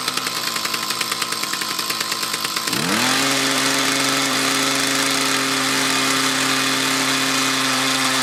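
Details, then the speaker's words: Mantis tiller with 2-stroke Kioritz Echo engine, dirty carburetor and fuel lines, bogging under load: ragged surging revs sag into a strained drone; owner suspects insufficient fuel delivery from a restriction, possibly a clogged fuel filter. "so i could replicate the problem again as soon as you let off the gas let it idle for a little bit and reapply it works so i'm thinking it's not getting quite enough fuel no good enough fuel delivery after a long time"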